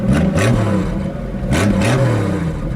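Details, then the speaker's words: Engine on a cold start after the distributor was cleaned out; it was gurgly before and is now smoothing out, and fuel pressure seems high while still cold. Two lumpy throttle blips with a clattery edge; the owner thinks it is just worn out. "that sounds like a really sick monster truck. Snappy that way. Like, I don't know. It's just wore out. Poor thing."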